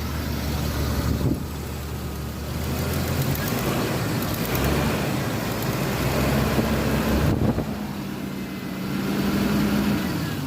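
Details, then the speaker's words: MJ truck during an alternator tester's rev test with high beams and blower motor on: revs rise and fall smoothly under load, with no misses or squeals; the alternator tested fine and the battery was low from lack of driving. "Man, with the high beams and the blower motor on, you can tell it's like loaded down, man. Rev engine with loads on."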